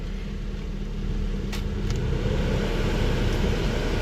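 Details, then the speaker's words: 2003 Buick LeSabre 3.8 after blower motor replacement, engine running with AC on; steady, even low hum with no squeal, rattle or scraping from the fan: normal blower operation. "Alright, no more noise. Yep, that did the trick, man."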